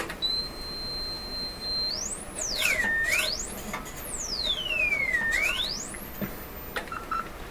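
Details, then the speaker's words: Electrohome Acoustech E00-411 35 W two-way tuned-port speaker with new replacement tweeter: signal-generator sine tone glides smoothly up and down through treble, no buzz or rattle; normal tweeter sweep. "Yeah, I can hear it. I can hear it moving back and forth. So all good signs."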